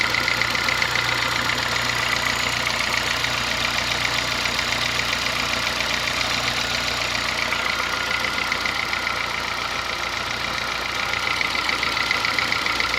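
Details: Honda Fit gasoline engine at idle: quick, sharp tapping knock throughout, diesel-like, compared to an old Kombi diesel or sewing machine; owner says it lessens once warm; internal engine noise, cause undetermined, car at workshop.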